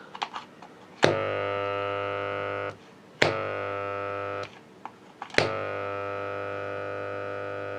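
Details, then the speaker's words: Used transformer salvaged for a cordless drill power supply, removed from its mounting frame so core unclamped, connected to 220 V: harsh tractor-like buzzing hum each time powered; loose laminations vibrating, needs clamping. "тому що якщо його не стягнуть Я зараз вам покажу він гудітиме не наче трактор значить дивіться підключаємо його в 220 В і слухаємо як він гуде"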